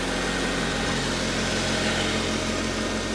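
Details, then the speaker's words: Chevy SSR salvage-auction truck, with a little throttle given: a steady, even idle with a smooth low hum and no knocks or misses; the engine sounds healthy, and the alternator is charging. "give it a little throttle again she sounds good she does she sounds good guys"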